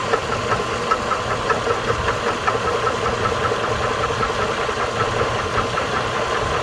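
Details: 2008 GMC Envoy, 220k miles, well-maintained oil: steady idle with a regular light knock, roughly two or three a second, over the engine; engine knocking at idle, cause not yet pinned down.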